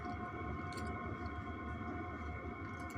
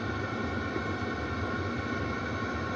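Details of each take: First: Webasto air heater in a converted van, in regulation mode: low steady hum with a faint thin whistle on top, even and unchanging. Normal operation. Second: Webasto heater in a converted van during warm-up, fitted without an exhaust silencer: steady, loud, even roar, mostly exhaust rather than fan. Other installs with a silencer were not loud; noise drops once it reaches temperature.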